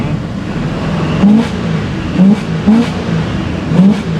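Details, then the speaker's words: 1984 Chevy C20 V8 truck, warm after a drive, heard from the cab with window slightly down after carburetor work: even smooth rumble with quick throttle blips, no knocks or misses; normal revving. "I'm going to roll this window down just a little bit so you can kind of hear it wouldn't an exhaust oh yeah listen how smooth and in the cab it is so smooth in here"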